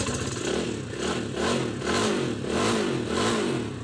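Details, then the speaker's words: Rusi 250cc motorcycle after fuel problem fixed and jump-start, runs even on a weak battery: revs pick up cleanly through several blips and drop back without stumbling or misfire. Normal revving. "So naging problema lang po yung gasolina an kaya namatay yung battery niya So all good na po yung ating motor so aandar naman to"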